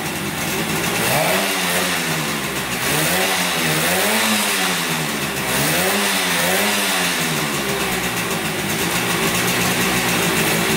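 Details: 1971 Yamaha CS200 twin two-stroke, sat over 17 years, recently revived: uneven, lumpy beat rising and falling with throttle, missing a firing pulse; owner suspects only one cylinder running, one not sparking; later spark found, left cylinder 125 psi.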